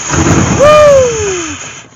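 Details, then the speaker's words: 1998 GMC Sonoma 4.3L V6 that sat for years, cranked via a remote starter trigger with starting fluid in the intake: catches with a sudden burst, spins up briefly, then dies within a second. "yeah baby that was a quickie let's try some actual fuel down there"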